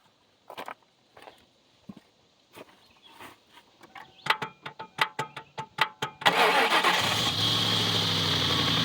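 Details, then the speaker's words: Subaru, engine that previously had a tick, oil full, microphone close under the oil pan: long crank with slow catches, then fires and settles into an even idle with no ticking; tick seems gone. "I don't know. Sounds all right."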